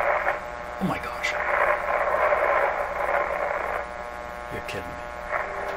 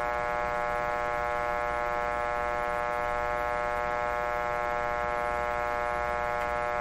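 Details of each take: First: 1925 Magnavox Type D TRF radio (all RF and AF stages, no IF), turned right up: station voices and music come through clearly over a faint steady hum; the old set is receiving and playing properly. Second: 1925 Magnavox Type D TRF radio, signal generator tuned near 900: speaker gives only a constant low hum and buzz with no variation and no station; detector tube likely not detecting.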